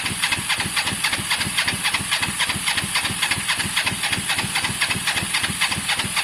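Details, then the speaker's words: Motorcycle after rebuild work, with spark, fuel and possibly a clean carb: steady cranking of about four even chuffs a second with a hissy top end; it never fires. Owner suspects caked spark plugs, which were only hand tight. "genuinely think that the plugs are caked guys and they just so even though we're getting spark on the outside i think they need a good clean or change"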